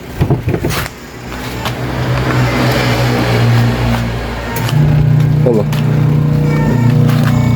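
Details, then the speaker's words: Washing machine motor spinning with the belt to the gearbox removed: a steady, even low hum with no grinding or knocking. Because the motor runs quietly on its own, the noisy gearbox is the fault and needs replacing. "Maganda ang e ang tunog ng motor tining."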